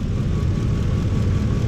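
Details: 2004 Ford F-150 5.4 3V V8 with flashing check engine light, cylinder 8 not contributing from a failed ignition coil: lumpy uneven idle with heavy low thump stumbling every few beats, engine visibly rocking.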